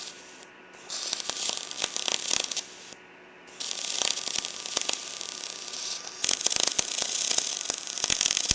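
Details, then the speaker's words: R Tech 181 digital MIG welder on mild steel: crackling, popping arc settles to a smoother even sizzle after voltage turned down; weld still looks porous. "Right, because just what I did, I just turned the voltage down then, you see. That sounds better."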